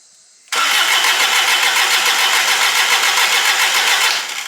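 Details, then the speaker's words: Engine with glow plugs: brisk strong even cranking about three to four pulses a second, no dragging or clicking; starter good, plenty of battery power. "see got plenty of juice yeah see the starter is good yeah"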